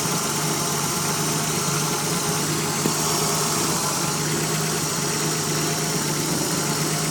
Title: Nissan 300zx z31 vacuum leak